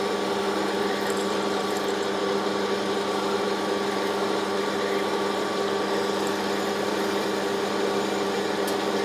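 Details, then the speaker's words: Lathe turning a new 4140 steel shaft for an Aveling & Porter steam roller at 300 rpm with a 2 mm depth of cut: a steady cutting drone with a hard, ringing chatter and vibration near the end of the cut as the feed slows. "you can hear we get a bit of vibration as we get towards the end of a cut especially when we stop feeding or slow the feed rate down to get towards the end is not ideal but it's getting the job done"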